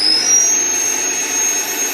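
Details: Hueborly 5.0 budget sander on a stiff vacuum hose with a 3D-printed connector: shrill, steady high-pitched squeal over the motor whir; owner suspects the vacuum or hose airflow, adapters haven't cured it; high-pitched squeal.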